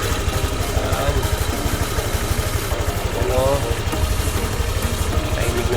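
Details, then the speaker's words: Honda Click 125 v3 scooter at 63,400 km, after repair: an even single-cylinder putter at idle, about three beats a second, with no ticking. It is now quiet, not losing fluid and not leaking. "Yan, wala na siyang ingay. Wala na siyang lagiting, hindi na siya nagbabawas, hindi na siya kumutulo."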